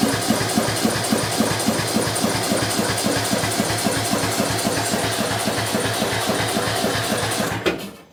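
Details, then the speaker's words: Bolens M762F lawn tractor after no-compression engine repair, weak battery, ether used: even cranking near four pulses a second that never catches, because the spark plug lead was left disconnected. "Oh, it would help if we had our spark plug plugged in. Wow. That was very dumb of me."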